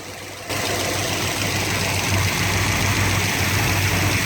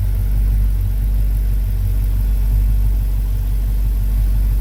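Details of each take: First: 1972 Chevrolet C20 longhorn pickup with a rebuilt 383 V8 that lacks power: loud, busy diesel-like clatter over a rough idle; source never identified despite years of diagnosis. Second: 1972 Chevy C20 pickup, V8 engine started after a rebuild and more than 20 years of problems: steady, even low rumble at constant idle with no knocks, ticks or misses. It ran smoothly, with nothing breaking.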